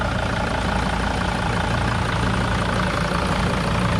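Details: 2005 Mercedes-Benz Sprinter diesel with low compression, idling with uneven lumpy clatter and occasional stumble; owner hears a little misfire, as if running on four injectors. Cause not confirmed.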